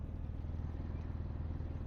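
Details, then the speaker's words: SUV after repair: low, smooth even running with no frying or crackling; the loud frying sound heard before is gone. "It's not making that frying sound anymore. Like, it was loud before, like frying."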